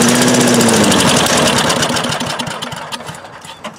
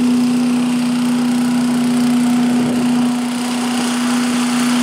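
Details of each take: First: 1985 Billy Goat leaf blower, Briggs & Stratton 8HP, air filter removed, starting fluid sprayed into intake: quick burst of sharp even firing pulses about four per second, fading within seconds; has compression and spark but won't keep running; fuel tank reportedly leaking. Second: 1985 Billy Goat leaf blower with Briggs & Stratton 8HP single-cylinder engine, after new spark plug, oil change, air filter and replacement fuel tank: even, steady drone at constant speed, no misses, surging or knocks; started easily, running healthy.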